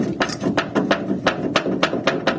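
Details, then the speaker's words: 1973 MG Midget MkIII front suspension with cracked lower arm, rocked by hand: sharp irregular clunks about three a second, matching the banging heard on the road; loose upper arm suspected, cause unconfirmed. "that sounds just like the noise I hear. You get that sharp bang."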